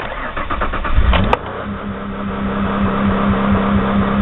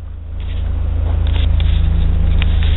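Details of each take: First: 2001 Ford Escape V6, started by camera on tachometer: cranks, catches, runs raised and uneven for seconds, then sags and dies; won't idle, warm idle very low (about 200 rpm); faulty idle air control valve, later replaced. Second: 2001 Ford Escape V6 after replacing the idle air control valve (previously would not idle and died off throttle, no fault code): cranks, fires right up and settles into an even, steady idle with no hunting; healthy idle.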